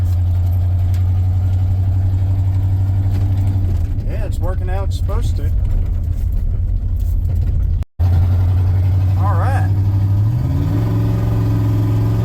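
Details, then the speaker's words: 1994 Ford F-150 V8 after replacing a bad fuel injector; it previously shook in low gears despite new spark plugs. It now holds a steady, even low idle with a brief blip near the end, running much better: normal idle. "right yeah it's so much better thank yeah guys"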